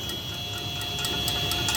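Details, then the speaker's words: Motorcycle front wheel spinning on a polishing machine via nylon spindle adapters during 240–2500 grit wet sanding. Sharp regular ticks, about four a second, over a steady motor whine as the sanding belt strikes the valve stem. "that ticking you can hear is the is the rim I might see can I move that it's it's the the belt making contact with the uh with the valve stem"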